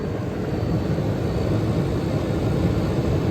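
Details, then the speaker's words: 1977 GE Superthrust air conditioner rescued from an abandoned building, fan stalled to hear the compressor: a steady low hum and even drone with no knocks. Head pressure is building, the suction line is sweating cold, the reading is 105, and it sounds healthy and smooth. "that's the way it should be running 105 this thing is working very well stall the fan for minute so you can hear the compressor"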